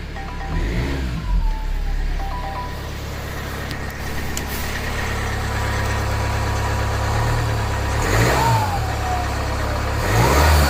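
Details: Jaguar F-Pace 2020 180 diesel, cold: revving engine with a harsh thin whistle rising and falling with engine speed; turbo suspected, not confirmed.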